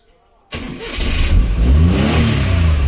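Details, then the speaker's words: Maruti 800 that would not start on petrol, after replacing the faulty petrol solenoid valve that was passing no fuel: quiet, then one short crank and the engine catches at once and settles into a steady, even run. Clean first-try start. "பார்த்தீங்கன்னா வண்டி ஒரே அடியில start ஆயிட்டு"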